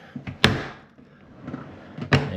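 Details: Frigidaire dishwasher door makes two heavy clunks as it swings open; owner fears a broken plastic hinge pivot pin rather than the hinge itself.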